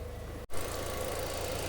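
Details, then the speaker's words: Mk6 Ford Fiesta ST150 after full cooling overhaul (radiator, thermostat, coolant), warm idle near 92–98 °C: steady even idle, then a rushing hiss joins and stays as the radiator fan cuts in; normal, fan works. "And we have a fan. So the fan does actually work."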